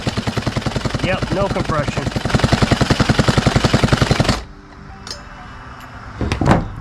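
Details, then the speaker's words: Craftsman 42cc 2-stroke chainsaw (Poulan Wild Thing type) cranked with compression tester fitted; quick, light, even pulses, no firing; reads 25 psi, streak at back of cylinder, rings possibly stuck or worn; low compression. "So we're at 25, so the compression is just bad."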